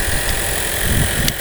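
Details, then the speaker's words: 2021 Toyota RAV4 hybrid, 2.5 petrol engine, after a flat battery was jump-started via the fuse-box positive terminal and charged about 5 minutes; smooth, even low engine hum with no knocks or misses; running normally. "так друзі все вдалось машинка завелась постояла Ось так постояла на зарядці 5 хвилин буквально і все бензиновий двигун запустився"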